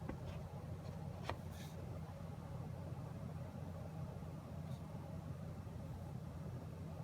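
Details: MSI GTX 1080 Gaming X graphics card: steady low buzz with a second tone just above it, unchanging over faint room noise; buzzing noise, cause unknown.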